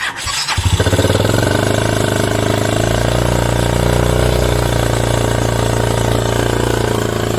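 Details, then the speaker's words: Yamaha Mio 125 scooter, hard starting, weak battery, coolant loss and oil in radiator, started after new spark plug with air filter removed: catches after short crank then races high by itself; unsteady self-revving idle. "ก็ติดแล้วครับแต่มันจะมีอาการเร่งแบบนี้ครับ"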